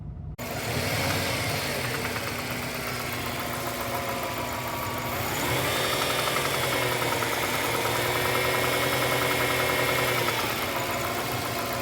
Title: Ej205 Turbo knocking sound at low RPM